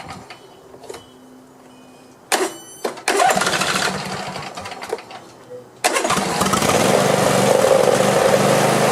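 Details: Craftsman YT4000 lawn tractor, after sitting in a barn for years, catches on restart and settles into a steady, even run with no knocks or misfires. It sounds healthy and may only need a cleanup and maybe a carburetor clean.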